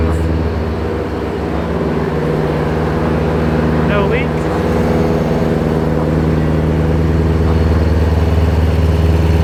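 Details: Supercharged BMW E92 M3 just after its first start following the supercharger kit install, warming toward operating temperature: loud, steady idle with an even low burble and no misfires or rattles, supercharger barely audible. Healthy.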